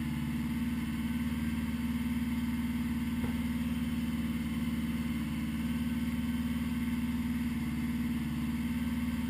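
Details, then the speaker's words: 1980 GL1100, slightly cold start at 54 degrees after a rebuild, carbs synchronised: smooth, steady four-cylinder hum with an even beat and no hunting or stumbling; carbs sound well balanced, running normally. "slightly cold start. 54 degrees after a rebuild."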